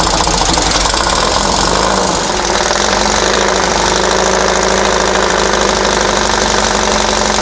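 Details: Dune buggy/sand rail engine, long-sitting, run after timing set to the pulley mark at the crankcase split on number one with the distributor loosened for adjustment; loud clattery idle, uneven stumbling beat, constant rattle. Rough idle, cause suspected, not confirmed.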